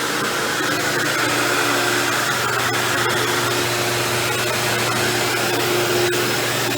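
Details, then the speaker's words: Dirt Devil Deluxe 8201 upright vacuum with new belt and bag, running on carpet: steady motor roar with gritty rasp and scattered ticks; brushroll bearing grinding, motor confirmed fine when apart. "you hear that grinding noise you're hearing I'm lying down is actually just the brushroll"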